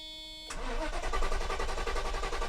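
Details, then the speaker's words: 1990 Mercedes 560SEC (W126) right after replacing the fuel pumps and fuel filter: steady starter cranking with no firing, faint fuel pump hum behind; fuel not yet primed through the filter to the engine. "Come on, gasoline. We got to fill up the fuel filter. Get the gas all the way to the front of the car."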